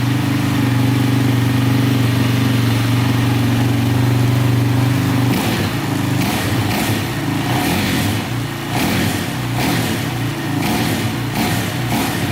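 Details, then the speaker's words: Single-cylinder quad engine after repairing bent valves, thought to be from skipped timing: steady, even idle, then throttle blips that pick up and settle cleanly. No leaks; it runs well. "no leaking or anything sound pretty good so i think that's fixed awesome"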